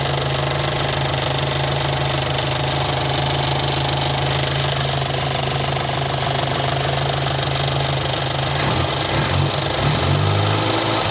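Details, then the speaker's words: Morris Minor, towed in after the owner's running issues, started first try on choke (then choke pushed in): rapid, loud ticking about four per second from the electric fuel pump over a steady idle, before warm-up and ignition timing check. "Oh, that fuel pump's loud. So, choke, start it. Oh, look at that, first try. Awesome. Push that choke in. Lovely. As you can hear, that is very loud."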